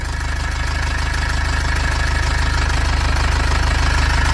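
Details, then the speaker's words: 2005 Nissan Xterra with MWM Sprinter diesel idling; fast, even tinny rattle about three per second from the loose turbocharger heat shield/deflector, noted to be fixed later; heat shield rattle. "então a gente vai corrigir esse esse problema no defletor no escudo térmico aqui da turbina"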